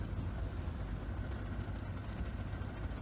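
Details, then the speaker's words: Leslie 145 rotary speaker after servicing the rotor bearing, reassembled and started: low steady motor hum with soft even churn, no grinding or rattle, starts nicely and definitely quieter. Normal rotor running. "Let's see what happens. That starts nicely. Have a listen. Oh yeah. That's definitely quieter,"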